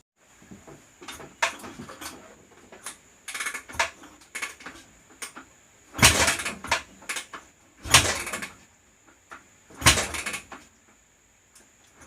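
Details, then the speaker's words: 2004 Honda CRF250R before valve adjustment: repeated kick strokes every two seconds or so, each a short mechanical rush, and the engine never fires; hard starting from tight intake valves losing compression (about 84% leak-down through the intake). "Pretty much you do that for like 15 minutes and it might start."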